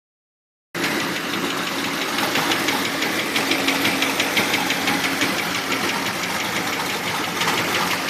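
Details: Turbo LS1 V8 in a 260Z (S30) after head gasket repair: light quick ticking about three per second at smooth idle; owner suspects bad lifter, piston slap not ruled out; engine ticking at idle.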